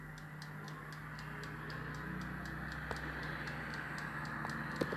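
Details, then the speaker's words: 1970s Creda Compact 3 tumble dryer, 41 years old, timed dry only: faint light ticking about three a second over steady low hum as mechanical timer winds down; normal timer ticking. "And it's the noise of the timer."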